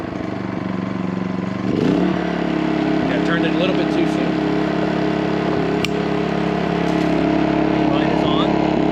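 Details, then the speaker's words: New MaxPeedingRods 3200 W inverter generator in a garage, eco mode off, running at full speed for a 15-minute break-in after a choked start and brief red overload light; steady high revving with sharp pops; backfiring. "so i'm still running it to break it in at full speed but it is backfiring"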